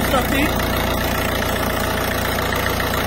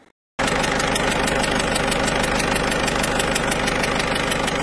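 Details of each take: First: Citroën C4 Picasso 1.6 HDi, pre-05/2010, after injector seal work, as injector seal leaks were diagnosed as the underlying cause of turbo failure: steady, even diesel idle with light regular clatter, no misses; engine runs perfectly. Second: Citroën C4 Picasso 1.6 HDi, pre-05/2010, idling: sharp regular ticking puff over clatter about three a second; leaking injector seals, to be replaced to avoid turbo failure.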